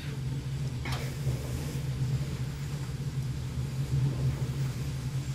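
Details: Basement Watchdog Special (Pro Series 1730) backup sump pump, submerged with a float lifted, about five feet of lift: even low motor hum holding steady under water churn. Normal sump pump operation.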